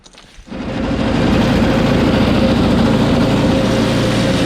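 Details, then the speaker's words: Small engine started with carb spray after a quick carb clean. It catches and runs slightly unevenly, but only on choke; it stalls once taken off choke. A lean carb or fuel problem is suspected. The recoil does not retract. "I just blew some card spray in there to start it up. Once I took it off choke, it stalled."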